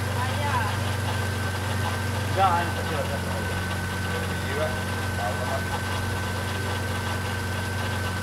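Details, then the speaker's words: BMW E30 M52 turbo engine on first start after rebuild: constant high whine over a steady idle that never changes pitch; power steering pump has air in the fluid, fluid foaming and overflowing. "It's power steering pump. When those do work? That's quite funny sound. What it is doing? There is air inside the pump."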